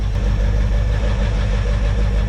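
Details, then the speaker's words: Abandoned 1978 Ford F250 crew cab whose long-stuck engine was freed, now hot with close-set timing, an aftermarket cam and a small thermostat leak: steady, even V8 idle with a deep consistent rumble, no misses, knocks or smoke. "How's that for a old stuck engine, guys? Y'all see any crazy smoke? Yeah, me neither. We got a damn idler, guys."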